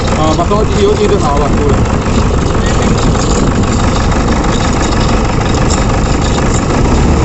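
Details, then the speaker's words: Toyota Innova diesel with malfunction light on and strong engine vibration: loud, coarse idle with uneven, shaky churn; rough running traced to a damaged sensor wire. "हमने check कर लिया जो इसमें प्रबंध ना वह जो यह चैप्टर है इसकी जो वायर थी ना इसमें प्रॉब्लम थी"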